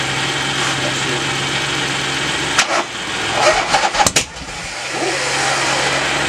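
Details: Norley cafe racer motorcycle, started for the first time after its one-off hydraulic clutch was repaired: the engine catches and settles into a steady run with a few brief throttle blips and some clatter; normal start and run.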